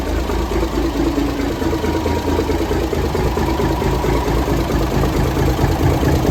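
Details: 1978 International Transtar II cabover diesel, first start after sitting 3 years during restoration: steady, even idle with a low rumble and regular beat, no knocks or misses; running healthy.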